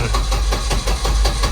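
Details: Turbo Volvo 245 on standalone engine management, first start attempt at about 70°F: rhythmic cranking with weak, uneven firing that never catches; hard starting, owner suspects too lean on startup enrichment/prime pulse.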